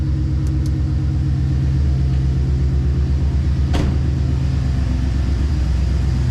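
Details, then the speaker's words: GM 5.3 V8 truck at idle: low, uneven thudding lope from an ignition misfire, confirmed; owner mentioned cylinder 4. "Can you hear the misfire? You hear it thutting?"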